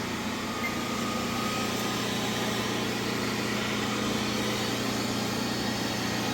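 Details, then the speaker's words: Stratasys Fortus 400mc 3D printer booting, start pressed: even, steady fan whir with no ticking or rubbing; cooling fan running normally, machine now powered. "I hear a fan going in here now let's take the treble light see what I can see"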